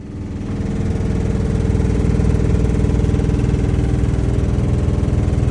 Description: Lennox furnace making loud noise when running on heat and cool mode.